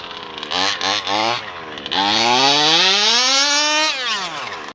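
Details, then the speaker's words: Taylor RC 35cc two-stroke with OBR 1254 carburetor in a Losi DBXL 2.0: high-pitched blips sluggish at first, then pitch climbs hard above half throttle; soft, slow bottom end, strong top end. Low-end bog on acceleration; owner plans to adjust the carb bottom end. "It's just that bottom end, it's kind of slow in the bottom end, but you can hear it when the RPMs, when I get over half throttle, it picks up."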